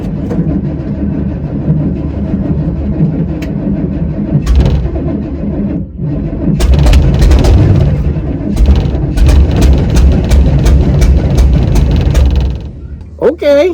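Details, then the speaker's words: 1979 Chevy Suburban 8-door shuttle being cranked on gas poured into the carburetor, fuel system not yet sorted: rough firing attempts with sharp irregular pops as it backfires through the carburetor, with flame shooting out. It won't catch. "I know. That is called backfiring through the carburetor."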